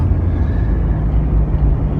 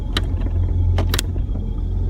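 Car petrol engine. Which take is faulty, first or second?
second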